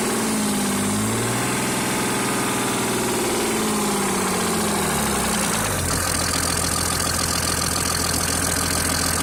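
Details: Mercedes-Benz W463 with OM603 turbodiesel after oil loss: hard rhythmic knock over diesel clatter that speeds up with revs and disappears with clutch pressed; oil pressure and bearings OK, no overheating, loosening injectors didn't help; source unknown.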